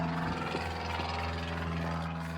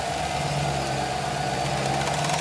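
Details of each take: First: 2015 Chevy Tahoe police package with 76,480 miles and passenger front collision damage: engine sounds good, but seconds after start the fan kicks on with a loud whirring drone and rubbing underneath; cooling fan rubbing on damaged parts. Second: 2015 Chevy Tahoe police package vehicle, automatic, 76,480 miles and about 5,400 hours, with front passenger corner collision damage: it starts to a smooth, steady idle with no knocks or ticks and the transmission engages; the fan kicks in and rubs on something, and the engine shuts off after seconds.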